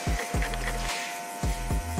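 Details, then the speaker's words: Corded clipper after fitting a new ceramic blade and checking blade height: even motor buzz stays steady when tilted side to side and up and down, with no rattling noise; running smooth and healthy. "tinggal kita tes nyalain bunyinya halus nggak ada tanda-tanda bunyi berisik"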